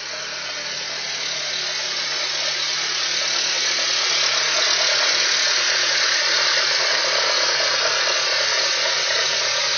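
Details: Honda Civic engine cold, at idle with gear engaged: steady low whine over a hissy idle, occurs only when cold and fades away as the engine warms; source unclear.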